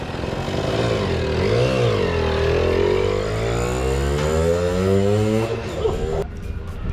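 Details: Kawasaki KS II-50 two-stroke, after carburetor service and tank cleaning, with oil mixed into the fuel because the automatic oil pump is in doubt; revs climb and fall smoothly without the bogging it previously had on acceleration.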